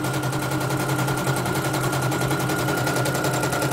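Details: Serviced embroidery machine, previously jamming with skipping bobbin-case hook; test-stitching lettering: fast even needle chatter over steady hum, no hitches or skips; running right. Renewed jamming would mean worn dynamo shaft, needing dynamo replacement or rebushing.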